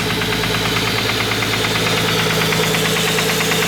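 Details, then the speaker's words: Straight-six RB engine idles rough with random sharp click-clack knocks breaking the rhythm after a few smooth seconds; misfire traced to leaking injector seals. "The injector seals are leaking back here. That makes sense. Makes sense. So the injectors are actually leaking,"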